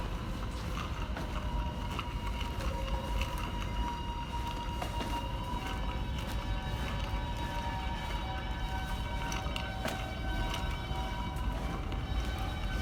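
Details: NYC subway train held at a red signal, York Street Station: several steady high squeal tones over a rumbling train with occasional clanks; brake squeal.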